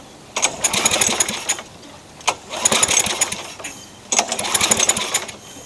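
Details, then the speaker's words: Craftsman mower with engine swapped in for the blown Tecumseh, Champion RJ19LM plug fitted: three cord pulls, each a rattly spin with no firing; no spark, owner suspects grounding, later traced to a pinched coil wire. "Still nothing. I suspect it's grounding out somewhere, as bodged as this thing is."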